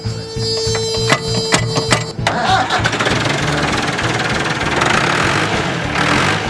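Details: Massey Ferguson backhoe, year unknown (probably 1970s): short crank with some clicking, fires immediately, then a smooth steady diesel idle; motor in great condition though hydraulics don't work (suspected low fluid) and there's no forward gear.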